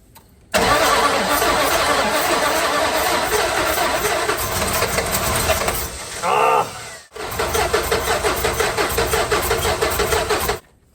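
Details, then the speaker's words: 1970 Dodge Dart Swinger 360, previously seized and rain-filled, hand-primed with mixed gas: fires and runs unevenly for about ten seconds with a stumbling beat, then cuts out; rough running, stalls after start. "Okay. Obviously, hand priming this thing repeatedly is not getting me very far."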